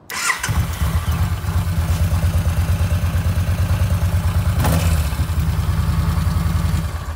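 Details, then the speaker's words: Yamaha V-Star 950 after replacing the failed starter (broken magnets, rubbed armature) with an OEM unit: brief starter whirr, V-twin catches at once into a steady, even, lumpy idle; normal cranking and start. "so there you have it starts up perfect in fact i'll let you hear it here goes"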